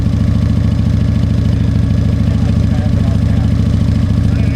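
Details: Harley-Davidson Fat Boy Evo 1340 V-twin, running after winter storage, carburetor cleaning and a jump start: deep, loping uneven-firing potato beat, about three thumps a second, steady throughout; runs healthy.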